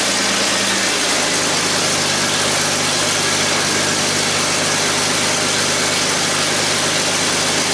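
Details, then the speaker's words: 2001 Ford Mustang V6 automatic after engine swap, running after a hose was replaced and power steering topped off: even, steady idle behind hiss, good oil pressure, no knocking, misses or smoking, though temperature gauge never moved; normal idle. "we got the car running 's good good oil pressure the motor's not knocking it's not smoking so I'm thinking this should make her a good engine"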